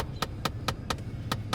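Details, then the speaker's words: 9-year-old 2012 Chevy Equinox: sharp, rapid plastic clicking, about four a second, from behind the dash over a low engine hum. It comes from a broken blend door actuator, and heat only partly works. "i put the car down and i immediately hear that can you hear it my blend door actuator breaks this is all happening at once"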